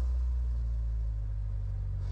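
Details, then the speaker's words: 2002 Saturn L200, previously crank-no-start with no module communication, now idling with a steady even low rumble, no misses or knocks, after cleaning corrosion restored the data network; runs normally at idle. "we got a good Network now it's not great it's not perfect like it's still jumping around a little bit but at least the car starts and"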